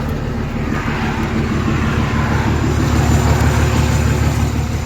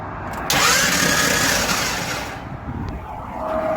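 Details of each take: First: Semi truck diesel started after transmission pulled and reinstalled roadside (crossmember, driveshaft refitted): catches and settles into steady even low rumble, no knocks or clunks; healthy idle. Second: Truck starter whirs freely with a rising whine and no cranking, the transmission turning but not the engine, because the flex plate snapped in the center after pulling out of a rest area in second gear.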